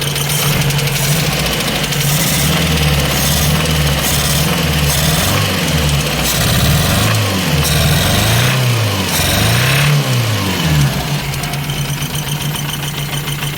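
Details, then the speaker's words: Ford Escort MK3 GLE engine at idle: fast light ticking, roughly four a second, over an uneven idle; running better, but ticking from the top end, cause not found yet, with valve cover removal planned. "Well, it's running better, but I'm not happy with that ticking noise. Something is not happy."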